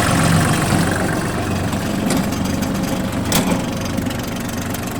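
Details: 2006 Kubota GT21 tracked tractor, 3-cylinder 21 hp diesel, about 498 engine hours, Japanese import: a steady, low diesel idle with an even beat, no rattles or misses. The engine sounds healthy and quiet.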